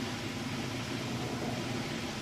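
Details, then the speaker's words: Whirlpool washer on super capacity with a heavy load of jeans and towels, at full high-spin speed: a steady, even whoosh and hum, balanced, with no knocking or weird noises; running normally. "okay and we're back on the high spin it's about up to speed there as you can see sounds good looks good"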